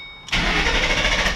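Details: 2007 Ford Mustang GT 4.6 L, fuel pump fuse 21 pulled to depressurize before fuel filter change, clutch in: short burst of steady starter cranking that never catches; crank, no start as intended.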